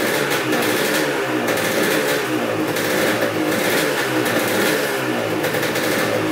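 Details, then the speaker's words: 1986 Honda CR250 two-stroke dirt bike, sat over five years, first run on fresh premix: crisp ringing buzz with quick throttle blips rising and falling cleanly, no knock or misfire; sounds really good, no leaks. "all right well that sounds really good um putting fresh gas in it started right up no leaks whatsoever"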